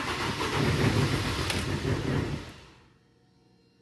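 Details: Mini with recurring hard cold start, first start of the day from cold after checking sensor readings: starter cranks steadily about two and a half seconds, engine never catches, then silence; crank no start, cause not yet found.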